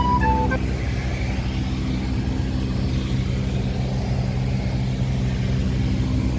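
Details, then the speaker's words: BMW F10 520D, cabin noise with A/C running before repair: steady low droning whir from the blower motor, caused by debris that got past a damaged, aged screen and spun inside the motor; fixed by replacing the blower motor and repairing the screen. "이 소음의 원인은 블로어 모터 쪽으로 이물질이 들어가지 못하도록 하는 거름망이 있는데, 시간의 지남에 따라 손상되어 이물질을 걸러주지 못하고 블로어 모터 쪽으로 이물질이 들어가 함께 돌면서 큰 소음을 발생시켰는데요."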